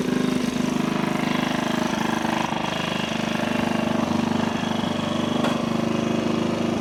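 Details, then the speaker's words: Vintage single after spark plug swap: steady, even idle with quick regular pulses, running slightly higher than a settled idle should; idle set a little fast. "Idle is up a little fast. Let's give it a little bit more."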